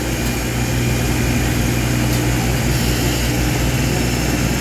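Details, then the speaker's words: A 220 V AC electric fan converted to 12 V DC and run from solar power: a steady, even whirring with a low constant hum and no wobble or knocking; the motor spins correctly and runs smoothly. "Kaya pakinggan nyo, umuugong na. Ayan. Tama yung kanyang ikot."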